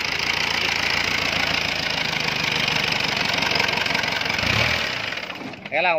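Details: Isuzu C240 diesel with diaphragm-type injection pump that smoked white at idle, black uphill, and ran wild; steady even clatter with no surging or misses, idle holding at a calm settled speed.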